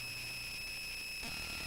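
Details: A thin, steady high-pitched whine and hiss comes from the Touchboard audio board's speaker output; cause not pinned down. Not confirmed.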